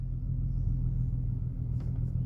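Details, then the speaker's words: VW Golf 4 V6 24v AUE on full E85 ethanol with a newly flashed engine map, just started and not yet warmed up. Deep, steady idle with no stumble after a blip; starts first try, runs perfectly. "Ça démarre au quart, pas de broutage, rien, que dalle."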